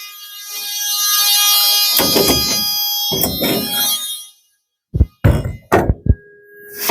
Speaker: you're going to tell them the emergency exit opens and closes smoothly, the door locks in place, and the alarm sounds when opened.